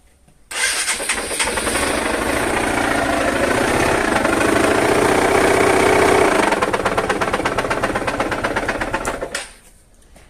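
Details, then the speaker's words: 2009 Honda Fan 125 after accident broke the magneto-side engine cover: rough scraping tick about three a second over the exhaust; suspected misaligned magneto rotor rubbing the stator. "a porrada foi toda do lado do magneto quebrou essa carcaça aqui essa carcaça do motor e e Apresentou um barulho se liga no barulho"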